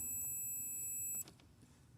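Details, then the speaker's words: 2005 Pontiac Montana V6 with ABS and traction lights on, wheel sensors already replaced: multimeter continuity test gives a steady high beep just over a second on connector pin 21, right-front sensor wire, circuit intact. "but there's one here you hear that sound so that tells me that this is the one for the one i have connected the right section that i have connected"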